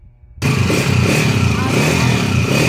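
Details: Restored second-hand 2005 Honda Mulawin-model motorcycle engine, all stock and said to be quiet after rebuild: it revs with a busy, rattly top-end clatter over the exhaust drone, louder than it should be; timing gear mentioned, source unconfirmed.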